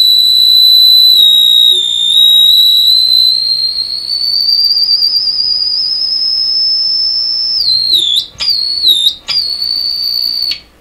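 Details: Deforest 10DA517 AM tube radio after replacing all capacitors: loud steady piercing whistle creeping slightly higher, then stuttering and dropping out; unwanted oscillation squeal, suspected to come from repair errors.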